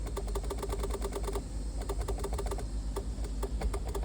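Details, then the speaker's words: Barn-find Bertone X1/9 being revived after years in storage, horn button pressed: quick, dry horn relay clicks but no horn tone at all. "What about the horn? Oh, I can hear the relay clicking."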